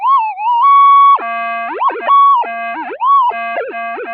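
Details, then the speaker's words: Minelab metal detector with a 175-inch monster coil, tested during electrical storms near power-line noise. With the coil's cancellation lost, warbling, wandering tones jump constantly instead of a quiet threshold. "as you see we've lost our noise immunity it's all gone back to um noise"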